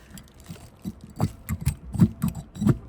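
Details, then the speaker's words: Nissan G35 single-turbo, old removed master cylinder pushed by hand on bench: irregular soft clunks and squishy knocks inside with each push; master cylinder failed internally, being replaced. "So, I'm pushing down. You can hear that. You can hear that it's inside. It's fail."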